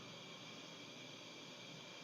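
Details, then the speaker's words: LPG gas-heated tailor's press burner running: steady, even gas hiss with no sputter or popping that grows louder the more the valve is turned open; flame burning smoothly, normal operation. "इसमें से ये पता पड़ती है आवाज आती है। इसको जितना घुमाओगे उतनी तेज आवाज आएगी।"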